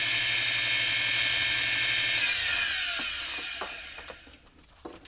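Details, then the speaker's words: Pre-Incredible Edger ice skate sharpener, 60 Hz model probably built 1986, about 3.6:1 pulley ratio: motor gives a high steady whir with a rough raspy edge fading as it coasts down; owner suspects motor bearings, not sure. "sounds a little bit raspy I don't know if it's the motor bearings"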